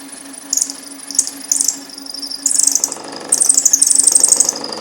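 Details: Countersinking a hole for DRO scale bracket screws on a Precision Matthews PM-1228 lathe setup, after a centering mistake: shrill, stuttering squeals in bursts that grow longer and louder; the countersink is chattering in an off-centre hole.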